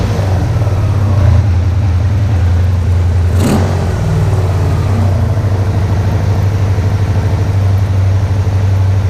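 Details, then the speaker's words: Freshly assembled Interceptor twin after bench-synced carbs, first start, idle set a little high: soft, even low rumble holding steady, no misses or knocks, much quieter than the owner's Vance & Hines-equipped bike. Normal running. "i also can't believe how quiet it is i had no idea these things were this quiet"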